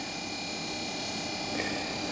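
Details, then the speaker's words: Small 12 V compressor in a Fisher & Paykel bar fridge being converted to 12 V DC, charged with hydrocarbon refrigerant at about 10 psi suction: quiet, soft steady hum with faint high whine, no knocks or rattles; rejecting heat, running normally. "Compressor's rejecting heat. You can hear it though. It's quiet."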